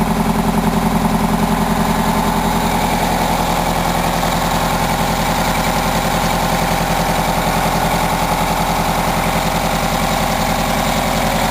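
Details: 1987 Wanderlodge PT40 rear-engine 8V92TA Detroit two-stroke diesel, after a cold start following about 5 months sitting, camera mic outside and overwhelmed: a steady, even idle with a busy blower drone and no knocks or misses; sounds healthy.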